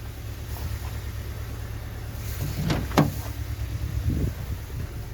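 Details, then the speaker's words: Cold Hyundai i20 mk1 petrol engine at idle runs lumpy with a low uneven rumble, misfiring; lacks power and shows high 7.6 fuel consumption, being diagnosed between spark plugs, coil packs or compression loss. "Yeah, it's cold. But I mean, it's not running nicely."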